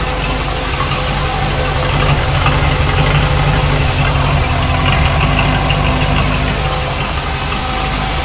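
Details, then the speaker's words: 1973 Corvette Stingray V8 after fuel-line leak fix and new ignition parts, warm at about 181–185°, oil pressure good, battery charging: loud, steady idle with even low rumble, no misses or knocks; healthy warm idle. "But this sounds pretty good."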